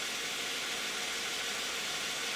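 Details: 2010 Toyota Camry 3.5 V6, 93,000 miles, Pennzoil Ultra 5W-30 synthetic with Wix filter, idling with lights on: quiet, even idle with steady accessory hiss, no knocks or misses; normal idle.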